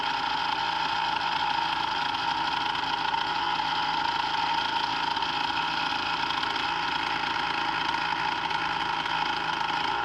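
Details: Brand-new Hangkai 3.5 HP two-stroke outboard (30:1 premix) just started, in neutral: steady high buzz with an even tone and no surging, sputter or knock. It is running normally.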